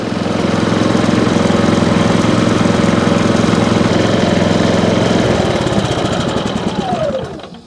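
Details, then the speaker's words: Harbor Freight Predator 5000 inverter generator after replacing the faulty carbon monoxide sensor (before, it shut off after about a minute): even, steady engine drone with regular beat, no misses, before winding down; running smoothly. "Well, there it is. Running nice and smooth and no issues whatsoever. The carbon monoxide sensor was the only thing that was wrong."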